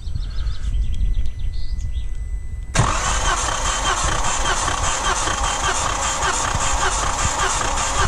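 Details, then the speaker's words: Three-cylinder EB engine being rebuilt with new piston rings for heavy oil consumption: a compression test while cranking gives a steady, even starter rhythm with no lumpy beats. The reading is 7.85, so all cylinders are balanced. "et là on à 7,85 donc c'est équilibré elles sont tous pareils"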